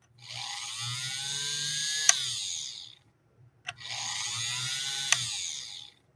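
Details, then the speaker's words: 3/4-size Singer 128 vintage sewing machine, light checked then motor briefly fired up after rewiring: two short runs of high, smooth, steady-pitch whirr starting and stopping cleanly; motor roaring to life and operating properly. "now we'll see if we can fire the motor up not sure if you can hear it but it is roaring to life"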